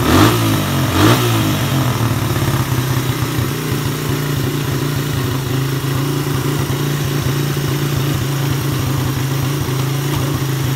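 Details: Suzuki Satria F150 after fixing a corroded ground wire that kept it from revving: a couple of quick throttle blips, then a steady even idle with no stumbling; revs freely and runs healthy.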